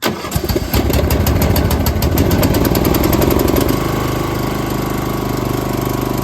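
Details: John Deere Z225A mower, 520 hours, after no-start/stop ignition repair, started on choke; quick cranking ticks then catches and settles to steady even idle within four seconds; starts and runs healthy.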